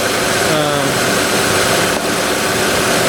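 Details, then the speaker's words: 2006 Honda Odyssey XLE RES, engine idling, after replacing the A/C condenser fan and motor: even whooshing fan with no wobble, ticking or scraping; the earlier noise came from a bad metal fan hub. "it's definitely running very very nice it's not wobbling anymore i don't hear that that nasty sound that i was getting"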